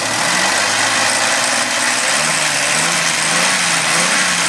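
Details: 2000 Suzuki Vitara 24-valve V6 at steady idle with a harsh, hissy rattle over the engine, clearly abnormal; cause not determined.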